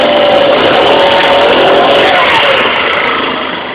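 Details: 2012 Tao Tao ATM-50A scooter revving: high chirping squeal wavering over the engine buzz, fading as it slows. Owner first suspected the belt housing, now suspects rear tire/brake area; rear brakes also squeal. Unconfirmed.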